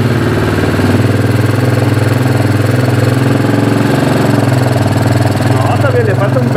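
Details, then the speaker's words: Keeway 150 cc single-cylinder motorcycle, unknown year, that had been flooding and not starting, after partial repair: steady loud beat with uneven stumbling pulses and rhythm drops; still has problems, intermittent misfire, cause not confirmed. "no está perfecta porque como la escuchan tiene todavía problemas"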